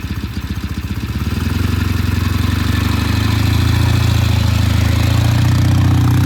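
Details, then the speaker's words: Vintage British motorcycle first start in the shop after completed restoration: deep even exhaust beat climbing smoothly and holding steady; left to warm up, running normally. "that is coming to life it's alive it's alive all right we're going to let this sit here and warm up"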